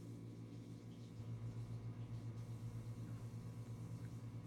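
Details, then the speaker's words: Coleman forced-air heater after pressure switch replacement, wiring position in doubt: low steady hum with faint pulsing flutter about four per second, no burner or fan starting, then shuts off; furnace hums but fails to start. "I turned on the heater you can hear it like humming and then it'll just shut off see there it goes"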